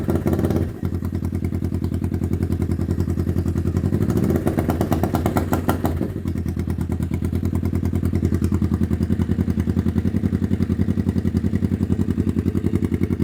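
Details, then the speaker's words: 1991 Kawasaki EN500 Vulcan with a fully rebuilt carb (new jets, idle jet, mix screw, diaphragms) and cleaned petcock and tank: a steady thumping idle that sags and falters when opened. It is bogging on throttle; owner suspects rich/lean running, an air leak or a blockage. "Um, and if I give it a little bit of throttle, it just starts to bog and stop. Um, and these are usually signs of a rich bog or a lean running condition or maybe an air leak, uh, or a blockage, but I've checked everything."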